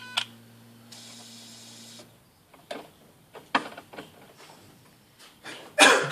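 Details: Skoda Octavia 1.6 55 kW, ignition on, engine not started: replacement used throttle body (030 133 064 F, replacing dead 064 D), not adapted via OBD, self-test: short electric whir then sharp clicks as plate sweeps; actuator working normally.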